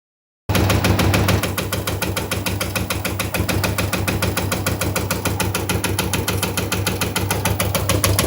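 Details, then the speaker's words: Washing machine running with fast, steady heavy thumping, about three knocks a second, over a deep low rumble: the drum is knocking because worn shock absorbers no longer hold it steady. "Если вы слышите этот звук в своей стиральной машине, то первый, который представляет собой стук внутри, — это удары внутри самой стиральной машины."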